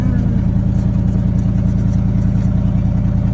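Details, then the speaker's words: 1979 Chevrolet C30 square-body truck, first runs after a Rochester Quadrajet carburetor rebuild, with no fuel tank fitted: a deep, even V8 rumble with a steady beat and no knocks or misses. Normal running; it sounds good. "Overall, she sounds good. Now it's just a matter of getting into this, fixing up some other small stuff, and we'll be in business."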